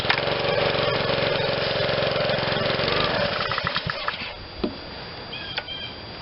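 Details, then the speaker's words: Honda GCV160 on a Black Max 2600 psi pressure washer, garage-sale find that sat: fires only when primed, runs about three ragged seconds then stumbles and dies; won't run on its own, owner suspects bad gas and a dirty carburetor. "yeah just just uh will not run on its own if i prime it it'll start and run but uh my guess is bad gas clean the carb and we're gonna be okay let's do that"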